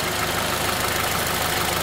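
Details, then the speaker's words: 2004 Honda Element 2.4L K-series engine at operating temperature after valve adjustment (intake .008-.010in, exhaust .010-.013in): steady, even idle with a light quick valve tick, slightly louder than before but smooth and healthy; normal idle. "it's warmed up operating temperature it's a little louder than it was before but as I said i' I'd rather have it a little bit loud than quiet but it's also smooth"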